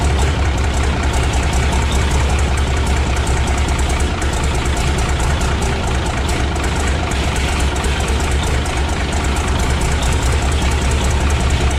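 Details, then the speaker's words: 1957 Autocar truck first start after 15 years unrun, warming up: deep idle with uneven, lumpy beat and occasional knock, possibly not on all cylinders; rough idle, dirty injectors suspected, fresh fuel probably helped. "so she's running now she's still running a little bit rough but not bad I think probably it's got some dirty injectors and some more fresh fuel probably helped"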